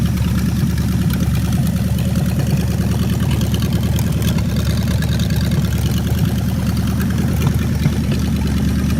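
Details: Home-built V8 trike, unused three to four years, second run on diesel flush oil after water got into the engine oil: deep steady idle with a slightly uneven lope, no sharp knocks; thin flush oil, pressure likely low.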